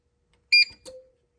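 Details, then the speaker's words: APC SMT750RM2U Smart-UPS rack unit powering on with nothing plugged in: short sharp high double chirp, then a softer lower tone fading out; normal power-on beep before self-test. "Ooh. All right, now it's powered on. And we'll let it do a little self-test."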